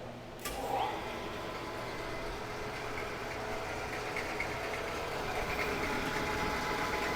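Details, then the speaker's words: Morey vertical slotter/shaper after drive rework to slow stroke speed, on test run: steady motor hum, even regular stroke cycle, no knocks or rubbing; normal running. "Oh, that is way better. That is that is a vast improvement."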